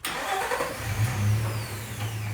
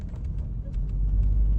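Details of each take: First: Nissan Xterra engine catches and settles into an uneven, lumpy idle after a first fix failed; owner then swaps the coil pack. Cylinder misfire codes P0300/P0302, power loss on highway acceleration, from a failed ignition coil. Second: Nissan Xterra that had been losing power under acceleration, with P0300/P0302 cylinder 2 misfire; driven under load in third gear at about 15 mph, a steady deep rumble with no stumble or shudder. The problem appears found; new spark plugs and a tune-up are planned.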